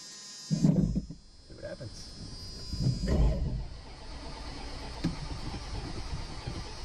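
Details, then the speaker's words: Dodge Ram 250 van that sat for years, oil topped up and gas added: the starter cranks in slow, uneven bursts but the engine never catches; it runs only briefly on starting fluid, so a fuel supply problem is suspected. Cranks, no start. "Oh. Let's see if I've got some starting fluid. No luck."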